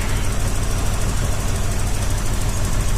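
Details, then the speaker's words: Toyota 4Runner (Ruby) running after revival, scanner plugged in: heavy low idle with an uneven, loping beat about three per second, stumbling on one skipping cylinder; rough idle and misfire, cause not confirmed. "Feels good. Besides that one down cylinder. Well, skippy cylinder, I should say."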